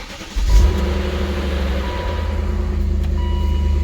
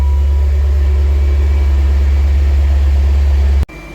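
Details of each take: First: 2000 BMW E39 M5 cold start: rough catch then steady low idle with faint light rattle from the timing chain on initial startup, then super smooth; timing chain rattle on cold start. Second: 2000 BMW E39 M5 after a cold start with timing chain rattle: deep, steady, even idle with no rattle or miss once past startup; normal idle.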